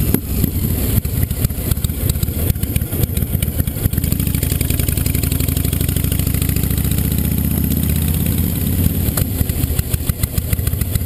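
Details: 2005 Honda VTX1300 V-twin on test ride after air box work: deep rumble with sharp irregular pops and crackles as revs fall; popping on deceleration, suspected slow jet circuit or jetting issue in the carb, unconfirmed.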